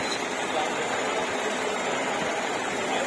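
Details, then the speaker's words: Car with a ringing clutch bearing noise, after the clutch cable was adjusted: steady, even idle hum with no whir or rattle from the clutch area; the noise is gone and it sounds normal. "आप सुन नहीं पा रहे हो, आवाज़ बिल्कुल बंद हो गई है ये।"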